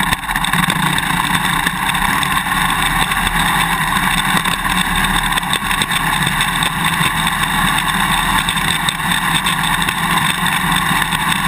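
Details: GoPro Hero 2 on a motorcycle swing arm while riding: fast, loose clicking over engine and road roar from the quick-release buckle vibrating in the mounting bracket; fix with vibration plug, electrical tape or drinking straws between buckle and bracket.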